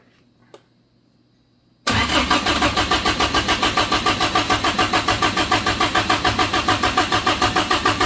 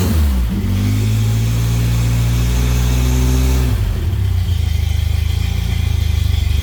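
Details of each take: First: Suzuki Samurai rock crawler engine newly converted to propane: after a short silence the starter cranks evenly about three pulses a second, never catching; an open vacuum port left unplugged is leaking vacuum. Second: Toyota-engined Samurai-type rock crawler running for the first time on a newly plumbed propane kit, after fixing a vacuum leak. It revs up cleanly, then drops to a smooth, even idle with no flutter or rattle. Normal running.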